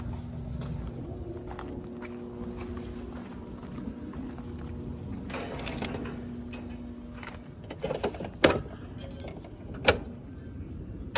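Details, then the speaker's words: Central AC outdoor unit, disconnect plugged in, compressor windings tested OK: faint steady low hum with no compressor kick-in, then clicks and handling; compressor stuck on a dead run capacitor, fixed by capacitor replacement. "I plugged in my disconnect. The unit now has power. So, if the contacttor closes, the compressor should fire up."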